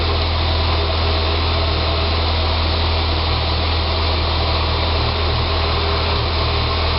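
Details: 2006 Saab 9-3 2.0T after an engine rebuild: a low idle drone with a faint uneven wavering in the bottom note; it runs great with throttle. Rough idle, possibly vacuum-related, unconfirmed.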